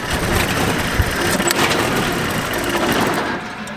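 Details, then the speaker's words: Jeep running on a jump pack with a dead battery; voltage reads around 7, alternator terminal reading all over the place. Uneven, stumbling, misfiring idle with irregular pulses; owner believes the alternator isn't charging (later traced to two blown 50 amp fuses). "Then the battery's slowly dying. See, 7. Man, she's running rough."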